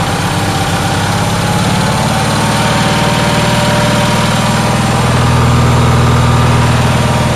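Steady, fast engine drone that never settles down and climbs a little higher partway through; it is idling too high, cause unknown.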